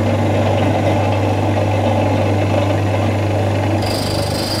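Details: Maksindo GRD4000/GRD2200 seed, spice and herb grinder milling red rice after setting: even low motor drone, steady with no knocks or grinding; running normally.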